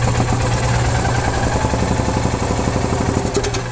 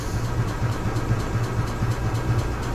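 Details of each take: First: 2015 EZGO Express S4 gas golf cart that sat over winter, crank-no-start with water in the carburetor; after a fuel filter was added it starts without choke in neutral and settles to an even, steady idle with no misses: normal idle. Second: 2015 EZGO Express S4 gas golf cart, sat over winter: in neutral with key on, pedal pressed and choke applied, even starter pulses roll on but engine never catches; crank no start traced to water in the carburetor.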